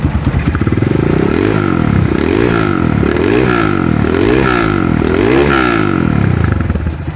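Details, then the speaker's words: Honda GL100 single-cylinder motorcycle with oil seepage and some black and occasional white smoke (valve seal or piston rings suspected), before service: steady, even idle with clean throttle blips, no knocks or rattles; mechanically healthy. "Hidup itu tidak ada kendala ya tepat sekali hidup cuman ngasap sedikit ya kita dia dulu"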